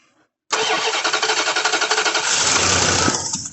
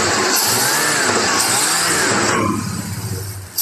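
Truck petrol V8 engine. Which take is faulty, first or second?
first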